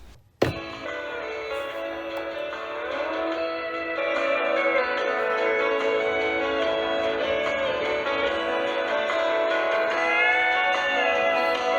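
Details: Sony Dream Machine ICF10W solid-state clock radio, owner reported noise on power-up, after repair: clean, undistorted music at steady volume with no crackle, hum or dropouts; normal radio playback.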